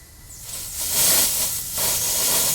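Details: 2003 Honda Element with a tube in cylinder number two and the tailpipe plugged; trapped pressure escapes as a loud steady hiss, air blowing through past a burnt exhaust valve; heavy blow-by was seen at the valve cover.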